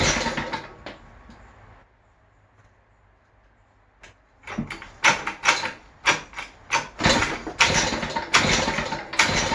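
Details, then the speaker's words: West Bend 580 two-stroke engine, which had sat for months, has a new starter cup, dogs and recoil spring. It runs briefly, dies, then restarts in uneven surging bursts and won't idle. The owner suspects dirty reed valves but is unsure. "So I think why it won't idle, because maybe these are dirty, or I don't know."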